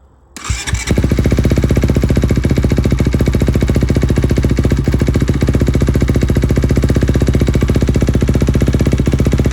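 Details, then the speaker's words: 2021 Kawasaki KX250 after Hinson clutch install with new plates: fires at once and settles into a fast, even single-cylinder idle, no slipping or clatter; much less engine noise, owner guesses stiffer springs hold basket tighter. Normal idle. "A lot less engine noise. So I don't know. Maybe the springs are holding down the basket tighter and it's not allowing any kind of slack."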